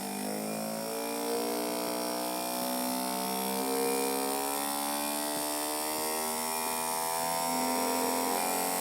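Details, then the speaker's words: DC motor driving an identical DC machine as a generator through cable insulation coupling and lighting an LED, supply raised from about 0.5 V: smooth buzzing whir whose pitch climbs evenly as speed rises, no rattle or scrape; normal motor run-up. "If I further increase the speed, we'll no longer be able to see the insulation rotating, but you'll be able to hear the motor spinning up faster and faster and eventually driving the LED brighter and brighter."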